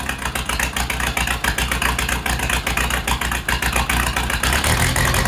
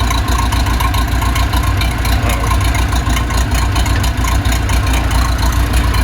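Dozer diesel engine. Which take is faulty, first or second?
first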